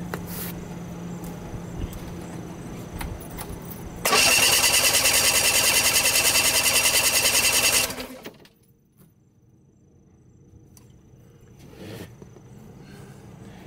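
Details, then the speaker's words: Mercury Force 40 HP outboard compression test, second cylinder cranked with gauge in spark plug hole: about four seconds of quick, even, light cranking without firing; reads about 95, same as the other, low but equal on both cylinders. "this again is 95 the same as the other one seems to be low on both cylinders one good thing is that they are both equal"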